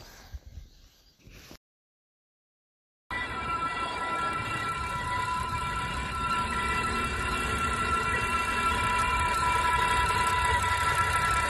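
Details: BMW petrol engine (M54/N52 breather video): a steady high-pitched whine held constant over the running engine with no clear change in pitch. The cause of the engine whine is not stated.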